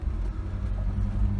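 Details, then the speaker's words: Kia Sportage I tailgate after repair, rubber bumper added from old hose and hinge bent inward a few mm: cabin on rough road, only low even road and engine drone; rattle and squeak gone, complete silence. "полная тишина 1 год помощью старого патрубка kemet велика грохот пропал ну и скрип соответственно тоже"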